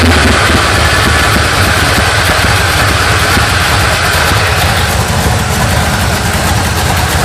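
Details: 1980 Sierra C15, junkyard L31 Vortec 350 (130k-mile pistons/rods, 9.5:1), Summit K1107 .488/.510 lift cam, Performer RPM intake, 600 Holley, Flowtech headers, Thrush turbo mufflers; cold start: loud, choppy lope with uneven low thumps and occasional rev blips from big-lift cam; mic clipping.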